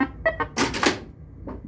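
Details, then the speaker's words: Gottlieb Countdown pinball using a Pascal Flippp P1-X4 3-tone sound board in place of the original, tested on a separate speaker once a jumper was set correctly. Short bursts of electronic chimes and tones with a loud noisy burst midway, then more tones. Normal sound board operation. "so hear that we do not need to mess with the original sound board that is freaking awesome"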